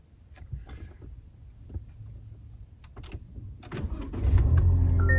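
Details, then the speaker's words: 2025 Toyota Tacoma TRD Sport, key fob battery removed, foot on brake and fob held to start button: cabin clicks, then engine starts cleanly into a smooth, steady idle. "and push the button using the uh the key fob. Okay, right now I've got the control module out of it, but just by pushing the uh the key fob I can start start the engine."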